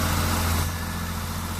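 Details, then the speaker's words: 1974 Triumph TR6 six-cylinder, off the road about four years, first start after points and ignition coil work: steady, even low rumble with no misses, running well while warming up on choke; normal idle. "it's running and it's running pretty damn good"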